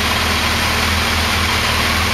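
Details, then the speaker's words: Kawasaki Concours ZG1000 four-cylinder at idle during carb synchronization: throttle on carb number one deliberately opened, so it shows less vacuum; uneven, lumpy beat with a wavering low note, running less cleanly because the carbs are out of sync. "you see what I've done is I've opened the throttle on number one it's showing less vacuum and I think you can probably hear the way the engine's running it's not running as cleanly now"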